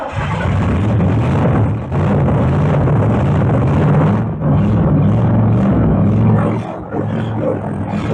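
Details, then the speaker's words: Camaro barn find parked 32 years, V8 first start: deep rumble surging and sagging unevenly, stays running only with fuel hand-fed into the carburetor; fuel-starved, carburetor problem suspected. "I had to hand feed it fuel Yeah. to get it to stay running, but it runs."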